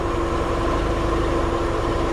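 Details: Porsche 944 running after electrical and no-spark repairs, left idling to bleed the cooling system after getting hot on a drive: steady low idle with an even beat and no knocks or ticks; idling smoothly.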